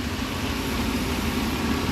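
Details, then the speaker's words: Petrol engine set codes P1132/P1152; it now idles smoothly with no buzzing or rattling after a vacuum leak was sealed; the buzzy noise is gone, and a bad PCV valve is suspected. "pulling everybody back up what do we get I don't hear that Buzzy noise anymore that yeah that's gone so we're on to something here"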